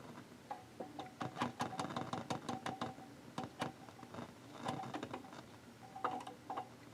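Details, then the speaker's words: Seeburg HFMA1 amplifier being probed in the audio section: irregular sharp crackles and pops over a quiet hum in bursts; either an uncleaned tube socket or a darkened resistor suspected as the source of the static. "oh there's something going on here it's either the socket or that resistor hmm yeah i think that's my problem child right there"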